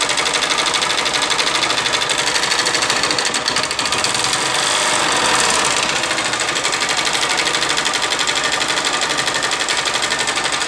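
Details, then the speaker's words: 2012 Honda Fan 125 motorcycle engine before teardown; loud, fast metallic top-end clatter at about three ticks a second, a valvetrain noise from oil starvation, dry head with worn rockers and cam. "E nesse vídeo galera, eu vou estar desmanchando esse motorzinho dessa Fanzinha 125 aqui, que ela tá com um barulho no motor galera."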